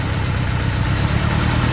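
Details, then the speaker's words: Honda Civic turbo (eBay turbo kit) idling on three cylinders, lumpy uneven pulse under exhaust drone; swapping injectors between cylinders moved the dead cylinder, so that injector failed; possible lean running cracked that plug's porcelain. "now when you pull this one off nothing so that injector is no good because when it was in this spot this cylinder nothing on this side worked"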